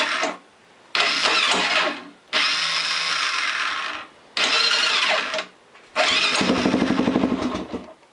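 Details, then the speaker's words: Honda 400EX ATV: several short, high whirring starter bursts spin freely without turning the engine, then one try catches briefly. Slipping starter clutch (one-way bearing, sprag); fix is replacing it behind the flywheel cover. "all right so you can see how sometimes it starts and sometimes you just hear it spin like the starter just spin and nothing happens that's your starter clutch it's also known as the one-way bearing"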